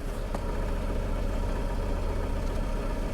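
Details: 2006 Toyota Camry running rough, bogging on throttle, heavy vibration: low, uneven idle with a stumble roughly every quarter second; scan shows a cylinder 3 misfire, rough idle.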